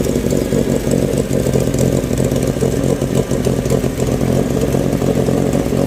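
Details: Renault 16 TX engine started after rebuild: steady, even note with a smooth low rumble, no knocks or misses; normal running.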